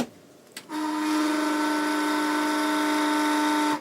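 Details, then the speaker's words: Ballu 3 kW heat curtain fan: loud steady whistle over the fan's rush, intermittent as the impeller hub slips on the motor shaft. "То есть в какой-то момент он нормально работает, а в какой-то момент он начинает свистеть, то есть проскальзывает, и это переливается в шум, который в коммерческом помещении,"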